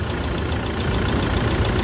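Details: Toyota SW4 2017 with 2.8 1GD diesel that ingested water and dirt through the intake, idling after washing and new filters, diesel and oil: steady hard knock tapping through the clatter. Bearing damage; engine condemned.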